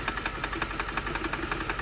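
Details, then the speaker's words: 2006 Mercedes CLS 500 after fuel pump work, idling with sharp irregular pops about five per second and heavy shaking; bad misfire, owner suspects something besides fuel is wrong; engine misfire. "look at everything shaky that's a bad miss part there's something else going on here that's not good"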